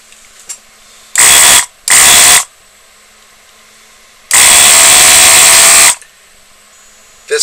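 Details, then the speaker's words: Duratool ZD-915 desoldering gun base station, five years old, after fan speed control upgrade; vacuum pump triggered from the gun runs a loud, even buzzing whir in short bursts, then one longer run; loud but tolerable, normal pump operation. "is loud okay but uh you know it's never longer than a few seconds so it's tolerable"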